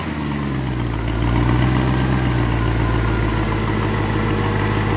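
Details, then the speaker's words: Mercedes W212 E63 AMG V8, first start after replacing the throttle body plate, cleaning the injectors and fixing a leaking intake manifold, having run very rough before. It catches with a brief flare, then settles into a deep, steady, smooth idle with no misses. "wow she is she is purring listen to that thing purr how smooth is that idle right now pretty smooth"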